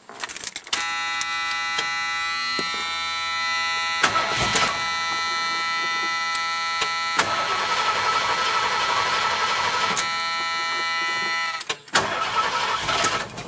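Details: Ford Bronco not driven in a long time, started for an air-conditioning test with the cabin around 80 degrees: starter churns over ten seconds with brief catches, never settling to idle; it usually starts easier.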